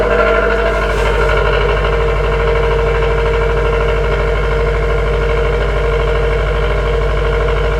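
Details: 2018 Subaru WRX STI with custom downpipe and tune, cold start in parking building: loud raspy exhaust drone at steady fast idle with constant buzz on top; normal cold-start rasp while secondary air pump runs.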